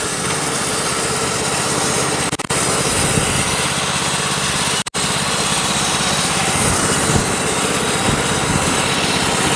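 Small petrol engine holds a steady buzzing drone under the hiss of the blade in wood; the mill is cutting normally.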